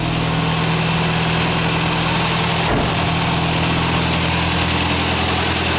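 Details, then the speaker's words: Ford Fiesta MK1 at idle after replacing alternator bearings that caused a chirp: smooth even tick-over, no squeal or chirp from alternator, charging about 13.6 V; normal idle. "Y de momento no se oye ningún grillo que venga del alternador."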